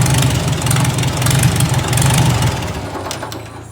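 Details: Farmall Super A tractor, just started with a little choke: the engine ticks over at a steady, even low beat with no misses or knocks; running fine.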